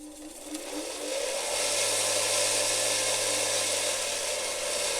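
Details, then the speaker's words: Reconditioned bench grinder with replaced sanding belt and grinding wheel, on new swivel arm: motor spools up over a second or two to steady high whir with even hum, no knocking or rubbing; normal running. "Well, let's fire it up now. Be a little bit noisy, but here we go."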